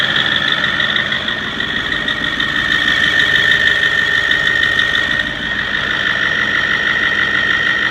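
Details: 6.4L diesel idling: steady clatter with a high whistling tone over it, about three ticks a second; diesel shop says not the manifold bolts, cause unclear; engine noise at idle.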